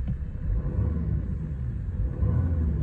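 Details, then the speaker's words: 2010 Mercedes E350 CDI convertible, 3.0 V6 turbo diesel, 7-speed automatic, 101k miles, just started: low even gruff rumble with a steady beat and no clatter; nice even idle, healthy. "it's a sweet sounding engine. You can still tell it's a diesel, but it doesn't have any clatter to it. It's a more gruff sounding V6."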